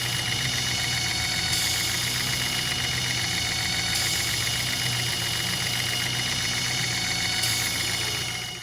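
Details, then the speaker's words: 2008 Chevy HHR 2.4 Ecotec, warm idle with intake removed: steady high whistle through PCV/crankcase breather, louder when covered, quieter when released; oil cap later found broken, owner suspects excessive crankcase pressure. "And this is what people like to call the PCV valve. Cover it up, noise gets a lot louder. Let it go. Gets a little quieter."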